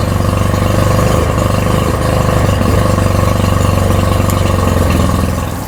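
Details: Tohatsu outboard with rebuilt carbs and fuel pump, started on choke with water hooked up: lumpy, uneven stumbling idle; not firing on all cylinders, misfiring cylinder not yet identified.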